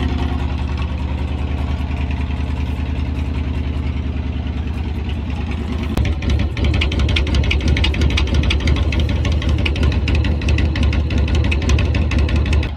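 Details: Kawasaki VN2000 (almost 2100cc V-twin) cold start after sitting a couple of months in freezing weather; settles into a steady, even lumpy idle, regular firing pulses, no knocks or ticks; sounds healthy.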